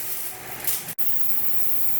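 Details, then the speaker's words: 2007 Saturn Ion after AC condenser replacement, charging refrigerant at the high-side front port with engine running: a steady sharp hiss over the engine; refrigerant leaking at a line fitting. "i just started uh putting some in a little bit here right here at leaking so i'm gonna take that off and see what's going on there"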